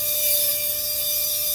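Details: 2014 Honda Civic, one rear wheel jacked up and turned by hand: steady single-pitch high squeak from the rear brake, heard mostly when turning in reverse, little going forward; cause not yet found.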